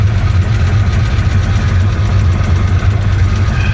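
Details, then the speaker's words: Hurricane-flooded 1966 Chevy Impala 427 with reverse manual valve body transmission, driving slowly in first after downshifting: heavy, lumpy, uneven labouring beat, awful noises, then the engine dies; rough running before stall, cause unknown. "poor car you could just hear that engine Mak an awful awful awful noises and she died"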